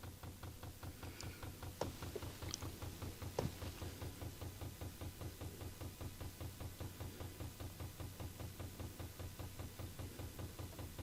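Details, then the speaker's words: Chinese diesel heater, outside fuel pump reconnected with plug seated and lines checked: steady light clicking about 2.5 per second over low hum; pump working, diesel rising up the tube toward the heater, delivering normally. "let's see if we have any Joy when it comes to making that pump function the pump's working I can hear it"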